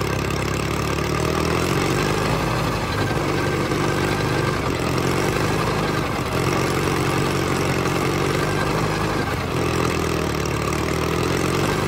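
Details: $500 Caterpillar dozer diesel, parked since 1992, running for the first time after a stubborn start in which the starter's Bendix gear kicked out. A low, steady chug with an even beat and no misses or knocks; a settled, normal idle.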